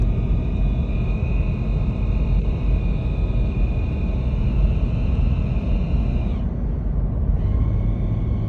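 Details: 1998 Toyota 4Runner while driving: steady high whine above the road rumble, dropping out briefly then returning; transmission whine, source unconfirmed; owner suspects a slipping clutch.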